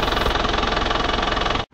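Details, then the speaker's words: Panther diesel after a repair for an oil and compression leak, running before a 5 km test drive. Quick, even idle clatter, smooth and stable with no stumbles. The exhaust shows no smoke, unlike before the repair. "Ya, seperti ini. Suaranya halus dan stabil."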